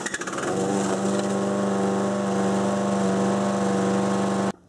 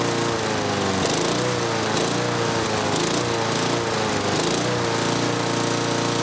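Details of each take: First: 6 hp Briggs & Stratton engine on a Murray mower deck at wide-open throttle, before governor adjustment: steady buzzing drone with low, flat pitch as the governor holds engine speed down; low governed engine speed. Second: 6 hp Briggs & Stratton mower on a Murray deck after the governor rod was bent and the spring shortened: it pulls up from low revs to a higher, steady buzzing drone and holds; governed engine speed raised.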